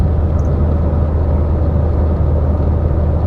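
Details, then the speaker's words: 2015 Chevy Sonic, theft-recovery auction car, cornering at cruising speed: only smooth low road rumble and engine hum, no clunks or knocks from worn front bushings or tie rods. Front suspension tight and quiet. "Nice and tight suspension. I don't hear any funny noises, which is common with a 100,000 mi GM from the front where you have worn out bushings and uh tie rods and things like that. It sounds very quiet and it handles very well."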